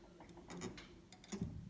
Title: Tutorial: How to get rid of squeaky sustain pedal noise (Yamaha Eterna piano)